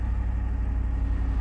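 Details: Truck "Blue" after fuel filter replacement, relay reinstalled and pump primed three times: low, even idle with steady firing pulses, no misses, knocks or ticking; engine runs smoothly.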